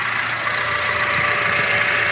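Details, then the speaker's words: 8th-gen (2006–2011) Honda Civic whose AC compressor clutch stayed engaged, engine idling after disconnecting the harness at the head unit: steady even idle hum, compressor clutch disengaged and stationary, as it should be with AC off. "you can see that clutch is now disengaged what was previously spinning now in a fixed position"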